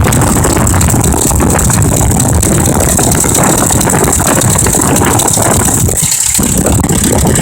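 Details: 2005 Ford Expedition 5.4L held in drive on an incline with the transmission forward clutch slipping: loud, lumpy, rattly idle, the engine stumbling and barely running under load, obviously misfiring.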